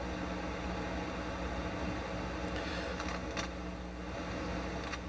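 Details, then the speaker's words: Akai GX-230D open reel deck before overhaul, tape paused at standstill: loud steady rushing hiss with no hum, which the technician suspects comes from inside the amplifiers rather than an external source. "press play if you can hear this rushing noise shouldn't be making that much noise when the tape's at a standstill"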